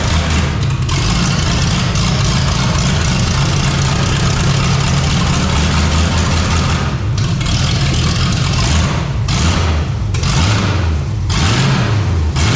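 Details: 454 big-block V8 in a Civic, first run on temporary systems, new out-of-box carburetor: deep, steady idle rumble with a few brief throttle blips, even firing, no knocks or misses; normal idle.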